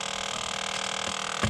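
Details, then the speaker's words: Ford Territory SZ, driver side under dash with knee airbag removed, heard via stethoscope: thin steady motor whir with sharp clicks whose frequency changes, from the faulty blend door actuator motor, replaced. "so I found the source of this horrible noise the clicking noise uh after removing the knee ear bag uh using my tusty stetoscope it's coming from the motar this one"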